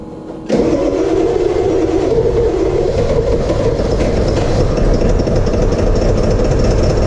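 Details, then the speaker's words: 1999 Ford F350 with 7.3 Power Stroke HEUI diesel, never heard running before, after the ICP sensor was replaced and its connector cleaned and plugged in. It cranks briefly, fires at once and settles into a steady, even idle: a normal start. "So now that we know it runs and moves, we can look at our next 2 problems, which are both kind of related."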